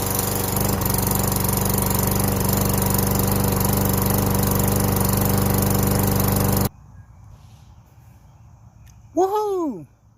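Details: Push lawn mower that started then stalled, blamed on ethanol gas, after cleaning the plastic carburetor: steady, even single-cylinder drone for several seconds with no surging, hunting or dropout before shutdown; runs properly.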